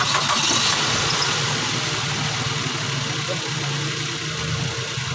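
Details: Mazda 3 after repairing trouble code P0300 random multiple-cylinder misfire, codes cleared. Engine catches and settles into a steady, even idle with no stumble or skipped beats: runs smoothly.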